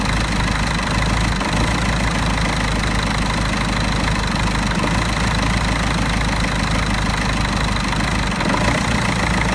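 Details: Mercedes OM646 diesel idling cold: uneven, wavering, stumbling clatter from a faulty EGR valve, rough only until the coolant reaches 60 °C.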